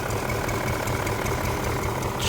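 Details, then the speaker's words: BMW E39 M5, S62 V8, sat for years, just revived: warm idle with uneven lumpy chug, misfiring badly, owner says sounds like an air leak; lifter tick gone, camshaft and crankshaft sensor codes, hopes not timing-related. "It's kind of like a air leak, it sounds like, but it sounds... The lifter tick already went away. It's definitely misfiring bad."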